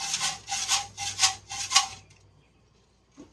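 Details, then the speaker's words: Gas tank on a donated, non-running small engine, shaken with the engine off during teardown: four gritty, maraca-like rattles from loose debris inside the fuel tank, which needs cleaning. "it needs some cleaning. Gas tank should never sound like a maraca."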